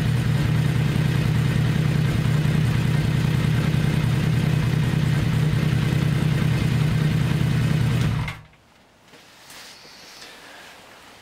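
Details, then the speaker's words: 1982 Kawasaki 750 LTD four-cylinder after replacing four spark plugs (cylinder 1 was not firing from a faulty plug): steady even idle on all cylinders, no misses; still needs some adjustment. "as you could probably hear it needs some more adjustment but the engine sounds fantastic all cylinders are working fine and the exhaust sounds fantastic"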